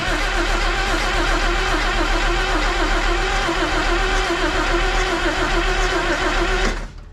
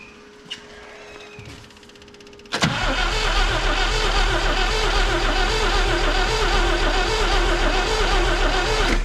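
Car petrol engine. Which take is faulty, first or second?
second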